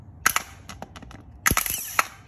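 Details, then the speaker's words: Bench test of a starter, disconnected, jumper wire from positive to send-unit connector, jumper cables from battery, case grounded: spark crackles then firm clunk as solenoid throws out; sparking is normal, starter good. "that's indicating that the solenoid is popping out so this starter is good"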